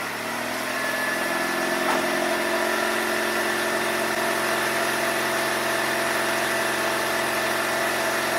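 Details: Ford Escape Hybrid idling on a cold morning start: a steady raspy puffing tick over the hum, typical of an exhaust leak. Owner suspected the flex pipe but found the leak elsewhere.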